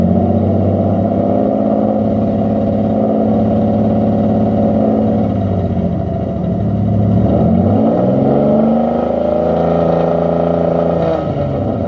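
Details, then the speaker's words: Mitsubishi 3000GT SOHC with gutted catalytic converters, some exhaust fasteners snapped and a thicker gasket fitted, revving: loud raspy note rising and falling, no clear leak tick; owner suspects slight leak or just gutted-cat noise. "I got a fatter gasket, and I mean, I hear something. Maybe it's just the noise from the cats being gutted out."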